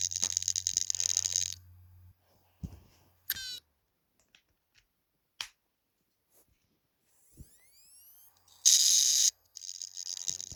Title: Hard drive weird noise example